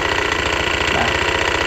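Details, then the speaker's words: Honda Beat FI scooter, reportedly repaired less than a month earlier, also hard to start: rough, rapid chattering rattle at idle with no throttle, suspected from the front CVT pulley roller housing; CVT front pulley rattle. "nah ini suaranya kasar kayak gini suara kasarnya di area ini ya Karena posisinya langsam belum kita gas itu sudah kasar Biasanya seperti itu disebabkan di bagian area CVT depan atau di area rumah roller"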